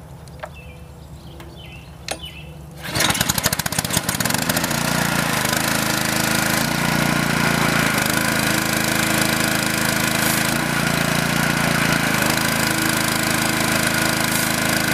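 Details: Honda-engined Karcher pressure washer that was surging: a few pulls, then fires and settles into an even steady putter with no hunting; governor holds speed well.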